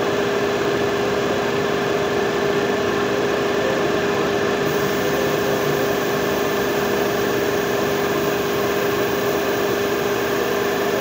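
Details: Renault Kwid Climber after water pump replacement, coolant refill and air bleeding: steady, even idle hum with constant pitch, no knocks, rattles or whine; earlier noise gone.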